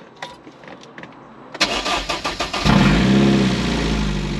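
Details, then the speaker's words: Rover K-series non-VVC engine in MG TF 135, rebuilt after overheating and head gasket failure, first start with cat and back box off: brief crank, catches to a loud, raw, even idle; oil pressure light goes out, running fine. "oh yeah and the oil pressure lights got out is it noisy as hell yes right stonking so we have oil pressure um it will start so i can get my cat and back box back on"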